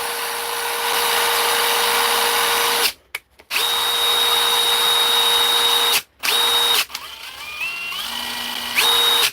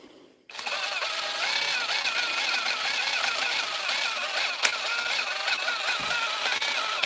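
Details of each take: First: DeWalt driver after repair: clean, steady high whir in repeated bursts, starting and stopping crisply with no grinding or rattle; declared fixed. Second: DeWalt impact driver running free for about six seconds: rough, warbling high-pitched whir with a rattle; not how it should sound, owner thinks the fault isn't serious, cause not yet found before opening it.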